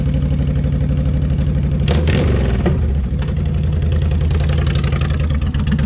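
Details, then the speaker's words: 2004 Honda VTX 1300 V-twin, previously hydrolocked and running rich, after repair: steady, low, lumpy beat of about four pulses a second with a few throttle blips and no knocks or misses, not smoking, running healthy. "So anyway, fire it up. So, it's running. It's not smoking."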